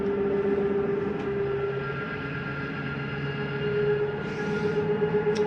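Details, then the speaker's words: 2022 Catalina Legacy 343BHTS travel trailer slide-out retracting: steady motor drone with even mid-pitched gear hum, no grinding. Normal slide-out retraction. "That is not anything grinding. That is the slide mechanism telling itself not to come in any further."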